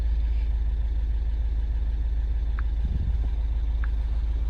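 Low, steady idle rumble that holds even throughout with no misses or hunting; this engine is idling normally.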